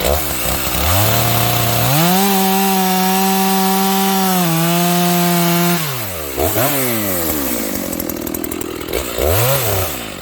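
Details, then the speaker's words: Stock Dolmar 7300 chainsaw, high-speed jet fully out to the limiters, cutting wood: a steady high-pitched scream with little four-stroking. It got quite warm in a few cuts and the bar may be clogged; lean high-speed mixture, with limiter removal planned. "I literally just opened the high jet as far as it'll go with the limiters. That sounds a little lean to me. How about you guys?"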